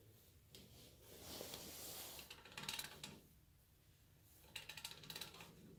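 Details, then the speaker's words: Old 3/8 Proto ratchet after dismantling, cleaning and lubing, breaking a bolt free on a Jeep: fine, rapid, crisp, even clicking, very short swing per click from many teeth; pawl working properly. "Listen to how far I actually have to go to get the click out of it. That's one click. That's pretty good."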